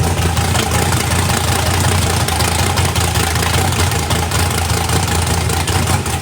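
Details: 409ci small-block Chevy V8 race car at first fire-up, turbo not fitted, weak battery on cranking; deep, even idle with clean rev blips and no knocks or ticks; runs with good oil pressure and sounds healthy.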